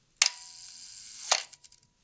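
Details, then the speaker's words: 1970s Canon pro film camera shutter fired at a long exposure: sharp click opens the shutter, faint steady clockwork whir-tick of the slow-speed escapement runs about a second, then a clack closes it; normal operation. "You can see how turning the film advance lever cocks the shutter by moving the two halves of the shutter curtain in unison, and you can even hear the little clockwork mechanism that controls the shutter’s timing at long exposures."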